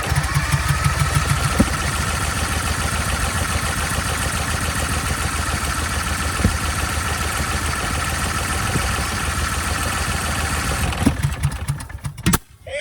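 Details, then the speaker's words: 24-year-old Generac 10000EXL generator, Briggs V-twin, unrun for 8 years, after ignition rewiring: runs with an irregular lumpy beat about ten seconds, then stumbles and dies; valves out of adjustment or not closing, or timing, suspected. "All right, so clearly we have some more work to do. There is something wrong. You know, I'd say the valves are either out of adjustment or not closing, potentially a timing issue."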